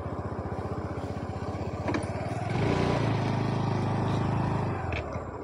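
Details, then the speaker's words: TVS Jupiter scooter broke down on the road; starts, but opening the throttle makes the uneven single-cylinder putter swell, then sag, falter and die; cause not yet found. "गाडी ॲक्सिलेट केल्यावर गाडी बंद पडता। हे बघा, हे बघा।"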